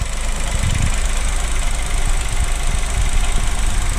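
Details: 2023 Chevrolet Onix LT turbo manual, cold first start of the day, hood open, brake pedal pressed: rough idle with irregular low thumps and knocks that come and go, from the rear of the engine; mechanic called it normal, owner doubts.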